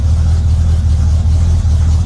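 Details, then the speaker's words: Cold Ford Galaxie V8: loud, deep rumble with an uneven, lumpy beat, as if one cylinder occasionally drops out; owner says this misfire happens until it warms up. "sounds like we're missing on a cylinder but that happens every now and again until she gets warm"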